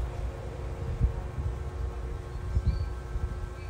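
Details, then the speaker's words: Washing machine after gearbox replacement, final test: soft, even low rumble with only faint scattered thumps and no grinding or squeal. Smooth spin, no noise even when touched; normal after repair. "yan na po, okay na, kahit hawakan mo wala nang ingay."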